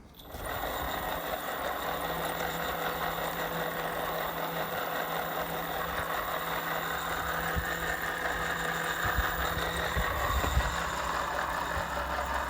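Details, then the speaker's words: Bafang BBS02 750 W 48 V mid-drive e-bike motor, about 1600 miles, front chainring removed: steady hum with rough gritty grinding underneath; main helical drive shaft bearing full of dirt, water and contaminated grease. "so I stripped off the front chainring and it now sounds like it's coming from here which would be the main drive shaft bearing"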